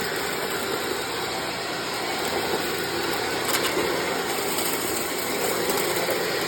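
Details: 1997 Sharp Twin Energy EC-12TWT4 upright vacuum test run after refitting the forgotten shelter plate that reinforces the brush roll: even steady high whoosh of motor and brush roll, no knocking, rattle or labouring; runs normally.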